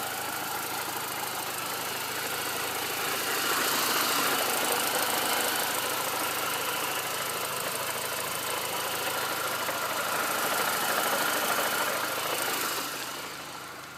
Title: Mini Cooper r53 jcw knocking noise?